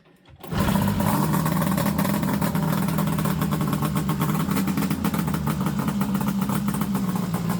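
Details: Fire-damaged Ski-Doo Summit Mach Z two-stroke sled after restoration work, pull start: it fires and holds a steady, crisp two-stroke buzz at fast idle, even and unbroken; running properly.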